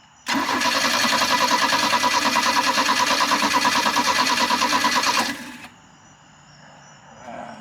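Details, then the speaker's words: 1986 Larson V175 Seneca ski boat on its first start: the engine runs about five seconds with an uneven pulsing beat, then dies. It won't hold idle; the idle needs adjusting. "there it is I got to adjust the idle on this thing man it's not it doesn't like it"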